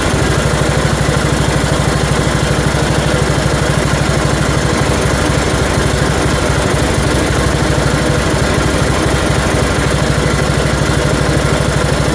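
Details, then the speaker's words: 1974 Dynastar lawn tractor, barn find that sat 30 years, first start after revival with short muffler fitted: single-cylinder at steady fast idle with light rapid "tink tink" ticking; flywheel screen rubbing the shroud, fix is straightening the screen. "yeah all right well I see this little screen in here is rubbing on the Shroud here so I got to take and straighten that up a little bit so it's not making that Tink Tink Tink sound I'm hearing in it"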